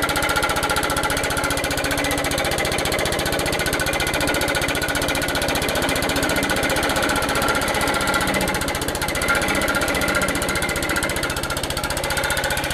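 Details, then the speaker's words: Old Suffolk Punch 43S lawnmower, revived after being bought non-running, cutting grass: steady, busy single-cylinder clatter at a fast even beat, holding speed; normal running under load, later cut out from lack of fuel, carb clean probably still needed. "all right so as you can see from my little clip a lot more cuts grass although it cut out it was just a lack of fuel in there"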